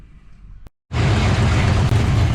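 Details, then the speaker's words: 1972 Buick GS 455 V8 with Rochester Quadrajet carburetor and big cam (about six inches of vacuum at idle): after primary-circuit tuning to fix an over-rich idle, it settles into a loud, lumpy but even idle; mixture now properly set. "yeah the carburetor adjustments she's definitely much happier definitely a much much less on the rich side when it's idling just uh runs crisper low down low and in the mid range very happy"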